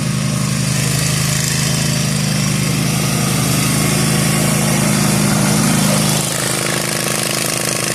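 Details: Zero-turn mower cutting overgrown lawn after replacing the deck spindles and bearings: steady engine drone, even deck hum under load, no bearing whine or grinding. The new spindles are so quiet the blades seemed not engaged, a healthy result.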